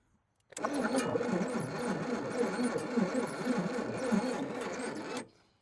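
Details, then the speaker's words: 1956 Chevrolet 235 straight six, parked since 1989, weak spark from hot popping points: starter drags engine over slowly at about four beats a second for several seconds, sounds like it's trying but never catches. "That is a slow cranking son of a gun. But every 600 I had always was slow cranking. I swear it sounds like it trying, but"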